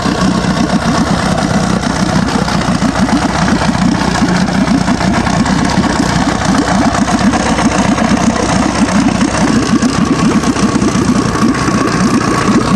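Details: Old Evinrude Sport Twin two-stroke outboard, stored for years, after carburetor strip and clean: steady, even burble with no stumbling, pumping water well; clean, healthy idle.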